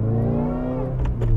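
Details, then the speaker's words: Subaru WRX driving in first gear, no boost: drill-like whirring whine rising and falling with revs over the engine note. "just gonna quickly give you guys an idea of what the bad whirring sound sounds like let's get out of the parking area well that sounds terrible"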